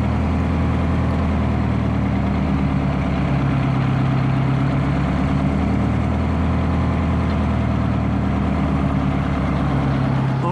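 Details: Detroit Diesel 4-71 two-stroke after rebuild and tune-up, idle set and governor hunting removed, running before reinstallation in the boat: steady, even idle with heavy low drone, no knocks or misses; healthy.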